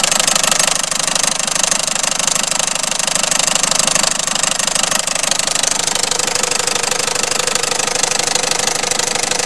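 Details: Peugeot/Citroën 1.6 HDI diesel idling with a sharp, steady knock about three beats a second riding over it.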